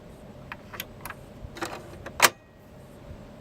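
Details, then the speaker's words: 1986 Sharp Twin Famicom disk system (Mitsumi drive) after replacing the broken drive belt with a substitute band and adjusting the magnetic head: faint steady spin with light irregular clicks as the head seeks; reading normally. "You can hear that the disk rotates and the magnetic head seeks."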